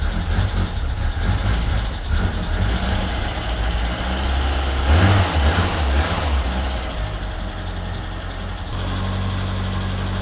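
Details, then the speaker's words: Ford Escort Cabrio XR3i running on its own for the first time in 20 years, after lifting the sensor plate confirmed fuel reaching the injectors: steady low idle rumble with a small rev swell, settling back to even idle; normal. "And there we have it, it's alive. It's the first time it ran in 20 years."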